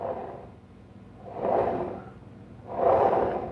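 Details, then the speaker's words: GM NP263HD transfer case on the bench, front output shaft spun by hand: two slow, dry, gritty rasping swells. The input and output shafts are otherwise locked up. Dry, rough, bad transfer case bearings. "if you can hear that, that's really dry. Got some bad bearings in it."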